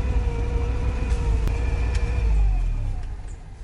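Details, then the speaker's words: Old IZh motorcycle engine idling unevenly, jerking on old spark plugs and leads: a steady howl above the idle that sags as revs drop, which the owner likens to a ringing chain. Whine of unknown origin. "Какой-то странный вой, слышите? Вот такой. У-у-у. Не знаю. Как будто цепь звенит. Или что это такое воет?"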